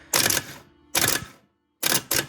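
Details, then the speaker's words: New replacement starter for a Nova with a Muncie M20 four-speed swap, tested on the bench after the old starter died with no crank: four quick sharp high whirring spins, each dying fast; working normally. "Yeah, that one works. Okay, that's what it's supposed to do."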